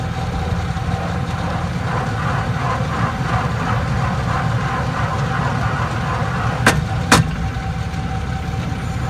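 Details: 2001 Chevrolet Silverado driving in 4x4: a low drivetrain rumble with faint rhythmic ticking, some sharp clicks and grinding from the transfer case; a used transfer case was installed and the grinding stopped. Finding: transfer case clicking and grinding in four-wheel drive.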